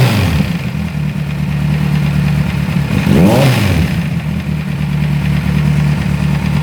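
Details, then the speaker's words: Kawasaki Z1000 after timing corrected (was out of time, running improved): uneven idle with rough mechanical clatter over exhaust and brief blip; noise persists, damaged internal parts, cause not pinned down. "Colocamos no ponto, percebemos que o funcionamento da moto melhorou muito, porque estava fora de ponto, porém o barulho não para."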